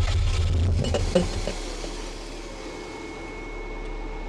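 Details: Toyota MR2 no-start after shop timing adjustment, following vacuum leak repairs, intake sprayed; clicking traced to closing, suspected bad MAF: about a second of low starter churning, a clunk, no catch; cranks but won't start, cause unconfirmed.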